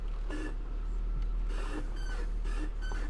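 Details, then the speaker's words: BMW X5 E53 at idle, repeated squeaky creaks with each rock of the steering wheel, loudest at driver front; tie rod area being inspected, cause unconfirmed. "She said squeaking. It's more of a creaking noise, and started it up as soon as I turned the wheel."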